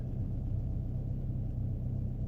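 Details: Dodge Dart with Fiat engine at idle, deep uneven rumble with irregular stumbles in the exhaust pulses; bad misfire, also while driving through the gears, with the check-engine light on.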